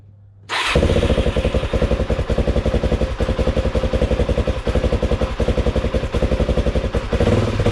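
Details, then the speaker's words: Suzuki DRZ 400 SM single after crankshaft replacement and engine rebuild, cold start: fires up and settles into a steady, even thump of about four beats a second, previous bearing noise gone; healthy cold idle. "mais là je trouve que le le son en tout cas de la moto elle sonne beaucoup mieux je vais vous la démarrer"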